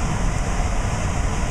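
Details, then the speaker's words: Trane air handler variable-speed blower motor, driven from a Trane test circuit board on cooling stage 2 (high speed), blower door off, about 800 rpm and 1400 CFM: steady, deep air rush with no squeal, rattle or rubbing. Normal operation. "so I can go up and one more and go to cooling too which is high-speed on cooling you you should hear this motor start to ramp up as you can hear it it's starting to speed up and is doing"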